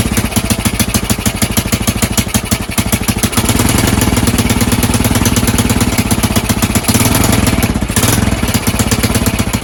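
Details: Rescued Honda TLR200 trials bike on stand with test tank: crisp even single-cylinder thumping that picks up slightly and holds steady; fires and runs cleanly.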